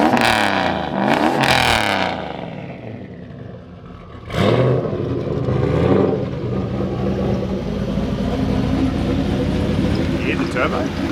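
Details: HX Holden one-tonner ute with LS engine and turbo, first running and driving: sharp blips rising and falling in pitch, then a loud, raw, crackly idle rumble; unmuffled exhaust far too loud.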